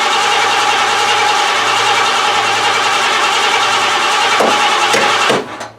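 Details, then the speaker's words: 1988 Lincoln Town Car first start attempt: long, uneven crank, engine catches and stumbles but never settles, then dies; owner suspects injectors hung up or fuel starvation through a nasty filter from a rusty tank. "you actually attempted to start this time it sounds like the injectors are either hung up or I'm not getting filled through that nasty filter"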